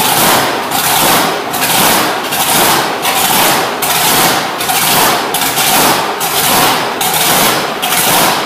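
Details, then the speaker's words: Plymouth Road Runner with freshly installed blown V8 (blower, mag, new fuel system, headers), timing and idle fuel set, started in shop: loud lopey idle pulsing about once a second with sharp blower whoosh; holds idle normally. "i just fired it up just to see if it would run and idle and uh it did so i just shut it off"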